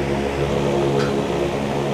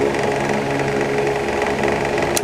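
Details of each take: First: Asahi electric fan after backing off a screw that was knocking on steady setting: smooth steady hum, even low tone, no ticking left; knock gone, normal running after fix. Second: Asahi electric fan previously repaired elsewhere, on steady (not oscillating): steady hum with fast, even ticking rattle that disappears when oscillating; overlong rear screw tapping the motor shaft end causes the knock.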